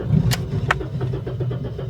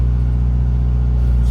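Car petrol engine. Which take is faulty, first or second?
first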